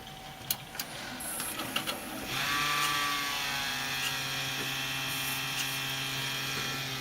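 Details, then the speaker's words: Refurbished Compaq PC awaiting Ryzen 3 2200G upgrade, motherboard needing recapping, at power-on: clicks, then steady buzzing rattly hum; power supply fan vibrating on dry bearings, needs oiling or replacement. "you know what's happening is the the fan the bearings and the fan is getting dry and gonna have to lube them get some oil in there"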